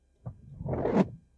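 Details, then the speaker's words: Windshield wiper blade about a year old: a dry, juddering chatter instead of a quiet glide because the rubber has hardened, so the blades need replacing. "That little chattering, that means these wiper blades are starting to get hard as a rock also."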